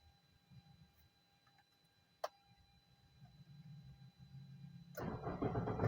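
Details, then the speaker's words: Car engine after reinstalling the upper engine mounting bolts and belt: the starter cranks and the engine catches cleanly, with no growl or rattle. Before repair the knocking 'ngorok' noise was intermittent, an early symptom. Engine start now sounds normal. "kita cek suara mesinnya sudah aman ya untuk suara mesinnya gak ada yang memang"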